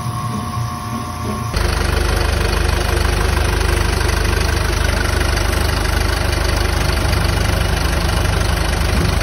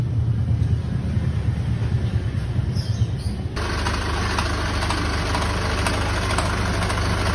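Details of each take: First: 2022 Isuzu QL at idle with A/C on, after replacing the noisy, knocking, oil-starved A/C compressor and filter dryer and vacuuming the lines: a steady, even low rumble with no knock or whine. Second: Isuzu QL 2022 diesel at idle: smooth until the air-con engages, then harsh, fast metallic knocking from the A/C compressor; compressor nearly dry of oil, oil starvation, compressor replaced.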